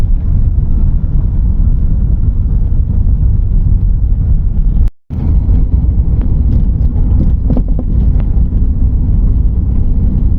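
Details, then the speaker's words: 2012 VW Saveiro driving on dirt: heavy road rumble with irregular sharp knocks and rattles, mistaken for dashboard or suspension noise, caused by a loose windshield glass. "Mas o vidro, ó, o vidro tá solto. O vidro tá solto. Aí o que acontece? Quando o cara anda na terra, faz esse barulhão."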